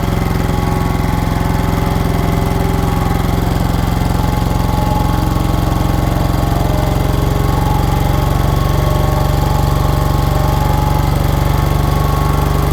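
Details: 1960s General Supply 260 air compressor with a Kaiser Willys CJ2A engine, running on cylinders 1 and 4, after a new electronic distributor timed by ear: a steady, even chug under compressing load with no knocks, misses or hunting, cycling properly again.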